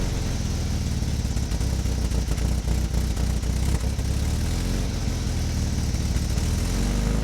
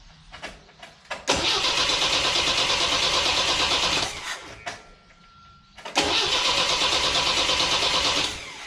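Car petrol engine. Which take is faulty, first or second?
second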